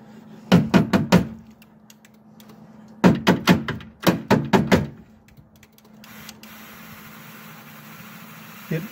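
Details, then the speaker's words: 2000 Ford Expedition power window motor, removed and run on the bench: it hums but stalls in short bursts of four or five clunks instead of turning freely. The motor is binding and getting very warm, with something stuck inside. "barely goes. You can hear it. It's struggling."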